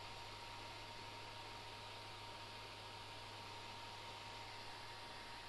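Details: Gigabyte P4 Titan DDR motherboard after recapping and reseating the graphics card, analyzer card removed: steady, even fan whir with a faint constant tone and no beeps at all; board powers on normally and gives a picture.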